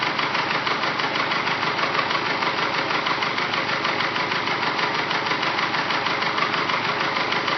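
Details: Engine with forged pistons after rebuild, at operating temperature, idling: fast, regular clattering knock about three beats a second, super loud piston slap knock/tick from the bottom end.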